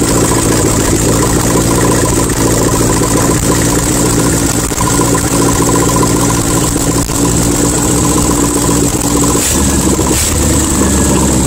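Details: 1972 VW Super Beetle, Solex 30 PICT-3 carb with the electric choke retensioned, no exhaust fitted, vacuum leaks still unfixed: a loud, steady fast cold idle on the choke with a raw unmuffled rasp and a brief dip near the end.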